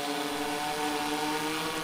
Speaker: well not much really you hear the other motor spinning up in order to compensate for the one motor that stopped